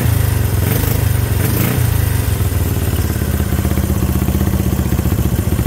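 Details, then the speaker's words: Honda CB350 twin, first start in 13 years, after cleaning points: deep even chuffing idle on both cylinders with choke off, no missed beats; points still due replacement. "now firing on both cylinders [Music] i gotta replace those points but they are they are working firing on both cylinders right now guys running on both with a choke off this thing idling guys"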